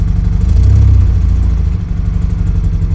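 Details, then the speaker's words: Car's first start after three months of engine rebuild with new cylinder head, split cam gear set by dial indicator and Niva camshaft: deep uneven idle with a lumpy beat about four per second and clatter; engine misfiring (running on fewer cylinders). "заводим это непонятно как троит что не"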